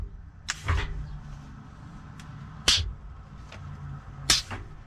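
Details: Peterbilt 379 with newly installed Grand General shifter top, after correcting swapped air lines: three sharp air clicks with short hisses a couple of seconds apart over a quiet idle; splitter valve shifting as it should.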